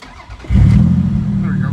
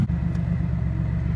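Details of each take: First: Toyota Celica GT-Six after fixing a fuel problem at the fuel pump and regulator. Air-fuel ratio is now near 14.7. The engine catches in under a second, then settles into a smooth, even idle with no misses; normal start and idle. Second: Celica GT-Six after fixing a fuel issue that caused poor running, air-fuel reading 14.7: low steady rumble with a slight rise and fall; idle fluctuates a little, cause not pinned down.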